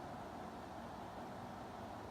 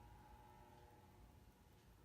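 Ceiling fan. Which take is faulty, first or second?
second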